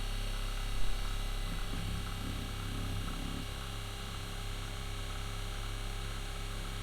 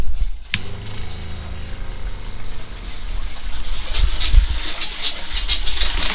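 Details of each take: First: RV fresh-water pump after winter camping (owner suspects it picked up ice): a steady, quieter electric hum that runs on without shutting off because it never builds pressure. Leak in the water line. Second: RV water pump, a quieter replacement for the factory pump, with some air still in the lines: low, steady electric hum with a few light clicks and knocks as it runs, and it shuts off; normal water pump operation.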